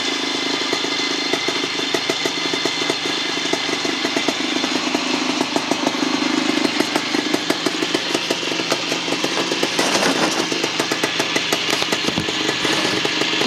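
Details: 1975 Bultaco Sherpa T 350 (type 159) two-stroke trials bike engine after rebuild: crisp, even crackle holding a steady rhythm and picking up cleanly on the throttle; normal running.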